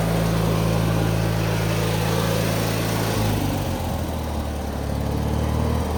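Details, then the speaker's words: 2003 Craftsman (AYP) DYT4000 lawn tractor: the small single-cylinder engine starts right up, choke possibly needed, and runs strong with a steady, even, firm low throb that settles slightly as it warms. Normal running. "Let's start it now. Runs good though. Starts right up. I might need choke now. Let's see. Runs strong."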